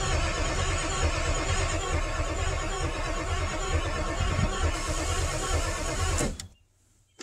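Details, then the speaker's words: 1997 Ford F350 7.3L Power Stroke diesel with PCM/scan-tool connection issues: the starter churns steadily, about four beats a second for six seconds, never firing; cranks but no start, cause unconfirmed. "still nothing but we're making progress"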